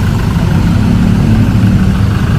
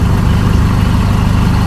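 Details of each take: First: 2012–13 Chevrolet Colorado diesel after its injectors were tested and fuel delivery recalibrated, with codes cleared, just started: it starts easily and settles into a deep, steady idle with no knock or stumble and no warning light. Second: 2012–13 Chevrolet Colorado diesel showing occasional white smoke, stumbling, shaking, knocking and poor acceleration, with injector fault codes on all four cylinders (cylinder 2 flagged): a deep, uneven, lumpy idle. Faulty injectors suspected for the rough running.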